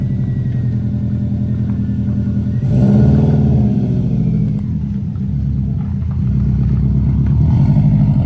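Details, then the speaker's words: Newly installed GT3076R Pulsar turbo (T51R mod) with rotated setup and custom intercooler pipes, still in break-in, driving: engine pulls hard through revs with faint rising whistle; normal turbo spool. "I don't if you can hear this on video but see if you can hear it got Jing and spooling over here all right we just drove it you just heard it"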